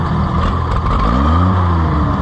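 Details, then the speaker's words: Oliver 880 tractor, choke pushed in, revved from idle: pitch climbs unevenly and briefly stumbles before catching. Hesitation under throttle, not pinned down; leaving the choke slightly out compensates. "But I can shove it in at idle and it's pretty good, but as soon as you rev it up with no choke, it popped. Of course that time it didn't do it, but there, see, your little hesitation."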